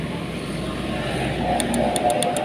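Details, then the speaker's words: Honda Vario 150 that won't start: quick, sharp relay clicks about eight per second heard at the relay with no starter spin, traced to a burnt ECM connector. "ah jadi relay bekerja hanya merupakan suara titik-titik tapi starter tidak kau cuman"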